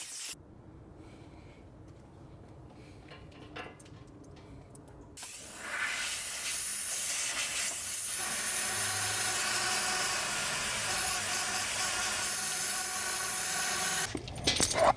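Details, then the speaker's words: MINI Countryman R60 (2010–2016) sunroof drain blown through: a quiet stretch, then about nine seconds of steady rushing hiss. Air passes freely, and both drains are clear. "We know that both drains work. You can hear air coming out of both of them."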